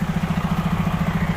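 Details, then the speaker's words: Freightliner truck just back from dealer PM and air dryer cartridge change: steady diesel idle with rapid hollow pulsing thump only while air compressor fills tanks, gone once full; pointing to disconnected compressor hose. "I don't know if you can hear this sound. It's like a hollowed out sound. I noticed that every time when the air compressor, listen."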